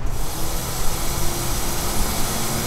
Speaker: A1000, you hear a little bit of noise. Not too bad for a 1000 plus horsepower capable fuel pump.